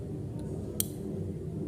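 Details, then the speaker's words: R600 freezer box that is not cooling, compressor hums without starting, PTC relay and overload exposed: a low hum, then a single sharp click as the overload protector trips, showing the compressor is seized and needs replacing. "Oke ya, ternyata untuk overloadnya protect tadi, jadi menandakan bahwa mesin kompresor ini cekat atau ngejim ya."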